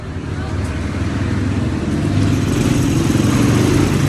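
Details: Yamaha Aerox 155 scooter, engine removed after a noisy top-end clatter and rocker arm replaced: after the repair it fires and settles into an even, quiet idle with no tapping or clatter.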